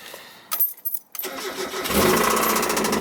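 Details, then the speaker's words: Mazda Miata: catches after a few seconds of cranking, then fast even knock three or four a second over idle, getting louder; oil pressure drops low while driving; first thought lifter tick. "damn at first we thought it was liquid tick or at liquid tape lifter tick but sorry getting louder and it's like knocking like this just listen to that it's pretty bad"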